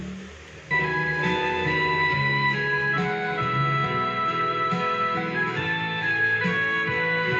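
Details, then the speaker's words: Polytron PMA 9502 2.1 active speaker before repair, Line-in mode, one input: music clear in mids and treble but low end almost gone, thin and boxy; both vocal speakers normal, subwoofer gives no bass at all. "Nah, di sini untuk kedua vokalnya bunyi dengan normal, tidak ada yang cacat ya, teman-teman. Kan tetapi nada bass nggak keluar sama sekali."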